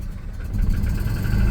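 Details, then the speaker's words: Volvo 240 with K-Jet fuel injection, cold start (fifth) injector just plugged back in, owner suspecting it dumps too much fuel: a low, uneven rumble that catches and swells but never settles; engine barely fires and dies after starting. "let's plug it back in and just see if that is an issue oh yes oh it's dying"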